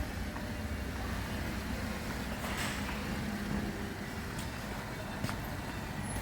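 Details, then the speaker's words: Holden VF Calais V6 after high-flow cat upgrade and two intermediate restrictions removed, heard outside as car drives away: smooth, mellow V6 throatiness, not over the top, even and unstrained; normal exhaust note. "So yeah, it's got that V6 throatiness about it, but not over the top, like some things that drive past here."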